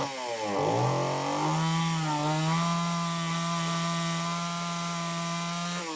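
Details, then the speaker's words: Homelite XL-903 chainsaw, stiff fuel hose possibly not letting filter sit in fuel: buzzes up to a steady high note, then sags as throttle drops; won't hold low speed circuit, lean fuel starvation. "I don't know, folks. Looks like it won't run on that low speed circuit at all."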